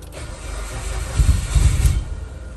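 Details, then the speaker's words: Car sitting unused a long time in cold Georgia weather, after repeated start attempts: starter cranking with a few ragged low thumps as cylinders try to fire, then drops away; hard starting, almost catches. "here we go that's a good sign that's a good sign almost"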